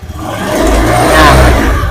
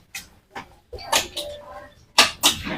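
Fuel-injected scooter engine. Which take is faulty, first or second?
second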